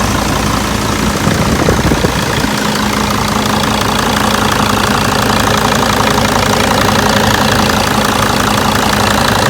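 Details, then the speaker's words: 2002 Mercedes T1N Sprinter diesel van, 118,000 miles, not a new engine: loud, even idle with steady clatter and constant low drone, no stumble or knock; sounds really good for an '02, a healthy engine. "i must say that sounds really good for an o2"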